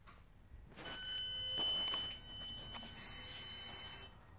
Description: Mercedes Benz 2008 ML350 Buzzing Noise coming from inside engine bay continues long after turned off and parked.